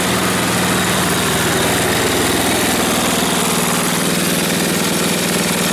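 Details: Snowblower small engine, still running: steady, even beat with no knocks, misses or surging; sounds healthy.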